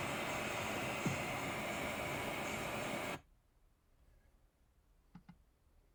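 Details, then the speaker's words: MacBook Pro with an external monitor and no apps open, dedicated GPU forced on: the fans run above 2000 rpm and the temperature exceeds 70°C. A steady, loud rushing hiss for three seconds, then it cuts to near silence. "and so the laptop run colder and this is an example of how loud it gets"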